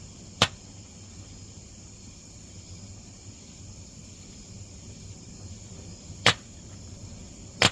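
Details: Burn barrel holding an old broken laser disc player: three sharp, irregular pops several seconds apart over a quiet fire hiss, suspected circuit board capacitors bursting in the heat.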